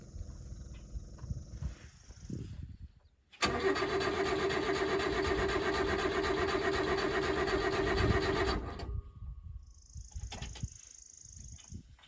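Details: Subaru Sambar kei truck, won't start after winter storage, fuel pump delivery suspected: starter churns steadily at about four compression beats a second for five seconds and never catches.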